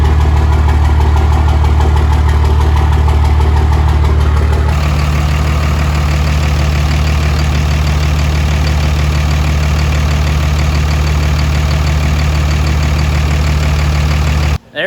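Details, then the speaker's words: 2005 Cummins diesel build idling after first start: even steady clatter at about three beats a second, no odd knocks or ticks from the valve train; no leaks seen yet, later a transmission cooler line to the heat exchanger leaked. "doesn't seem to be any leaks it sounds good uh the valve train sounds pretty good no crazy funny sounds or anything as of right now"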